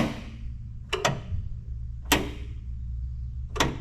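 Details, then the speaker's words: Ford Model A stock four-cylinder with custom intake/exhaust manifold, newly added under-floor electric fuel pump powered through switch and relay: three sharp uneven clicks over a faint hum; pump trying but apparently not moving fuel, owner suspects old bad gas. "I can hear the pump trying,"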